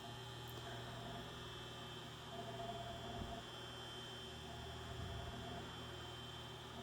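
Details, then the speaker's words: 1936 Westinghouse Poweraire 10-in table fan, cat. 10-SQ-3, oscillator engaged: steady motor hum with low buzz and brief stumbles in the sweep; oscillation sometimes hiccups and labors, needs more work. "so to start the oscillator up you just simply push down and the fan will oscillate and sometimes has a bit of a hiccup there as you"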